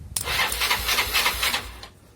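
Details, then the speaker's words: Mio scooter starter motor tested by bridging the two large solenoid terminals with the key off: a scratchy whir with crackling sparks for about 1.5 seconds, so the starter motor works. "jika terdengar bunyi klik, itu berarti dinamo starter berfungsi."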